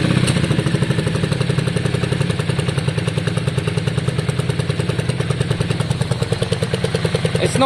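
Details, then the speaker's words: 2002 Yamaha Virago V-twin after carb cleaning, fresh fuel and new coils: a steady, even idle with both cylinders firing and the odd small spit from the exhaust, much improved. The old coils were fine; the spit remains. "not shocking, it's idling fine, both cylinders seem to be on. It does have a little spit here and there, but much better."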